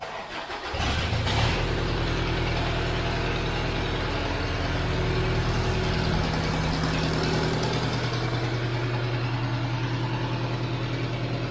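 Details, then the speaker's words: 2001 Tracker diesel with power loss, EGR valve and mass airflow sensor unplugged, radiator drained: cranks and catches, then steady, slightly fast, louder idle for a fuel pressure check. "eu vou ligar ela ela tá sem a válvula GR tá pessoal vai fazer um barulhinho maior tá E ela tá um pouco acelerada porque eu tô com ela sensor de massa de ar você Tá tudo desligado"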